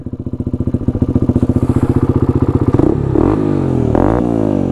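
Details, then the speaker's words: Honda 250 quad idling: crisp, even single-cylinder thump with a couple of clean throttle blips settling back smoothly; runs healthy, normal idle. "sounds pretty good my tire is also off the bead we're already doing wheelies on the thing"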